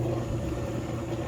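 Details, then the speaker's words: Whirlpool washer tested without water, lid switch bypassed: drum spins with a steady motor hum and even low drone, some noise but no knocking or scraping; normal spin cycle. "so make sure it spins this one does spin you can feel it spin it's making noise"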